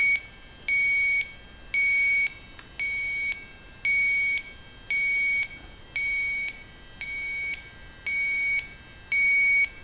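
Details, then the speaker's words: Viking Professional wine cooler with three copper evaporator coils, sniffer by evaporator: steady shrill beeps once a second picking up freon traces (possibly from blown-in insulation); pressure dropped within 10 minutes, refrigerant leak detected. "sometimes you'll be picking up uh traces of freon from the blown in insulation that they use when they build these things so the pressure is already gone down within 10 minutes so we're picking up traces up here over"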